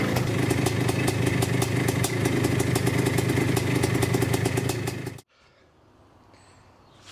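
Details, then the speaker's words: Yamaha IT490 two-stroke after new CDI and ignition timing work, decompressor loose and leaking: ragged popping about four beats a second that dies after five seconds; running rich, fouling the plug, kicking out oil, old fuel suspected. "It starts and goes and then doesn't. Fouling the plug. It's quite rich in the chamber."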